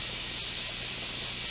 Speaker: this is what the sound is like when the bypass valve opens and I'm going to stop the pump so you can hear it the hissing sound